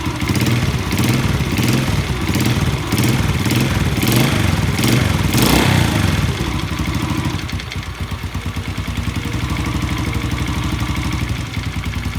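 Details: Yamaha Jupiter Z single idling with a loud metallic "kletek" clatter, sharp knocks about twice a second. The cause is a worn, loose connecting rod; the fix is replacing the rod and fitting original crankshaft bearings.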